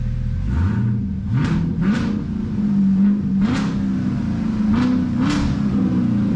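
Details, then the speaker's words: 2019 Camaro 1LE during rebuild, first heat cycle with coolant in; engine revs up smoothly with steady idle and loud fan roar, fan ripping possibly from an air bubble, temperature not reading hot; runs healthy. "The Camaro is running with coolant in it. The fan is just ripping, probably got an air bubble in it."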